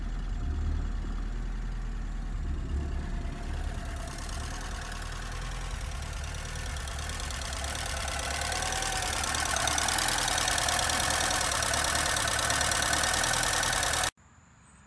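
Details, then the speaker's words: 1983 Porsche 944, unused since 2000 after a broken timing belt, head rebuilt: uneven idle with light tapping about four times a second; misfire from a poorly seated cylinder 3 injector connector, which ran much better once reconnected. "right so you could hear a tapping sound as the engine was running and that's actually because it looks like we didn't get number three plugged in very well down here"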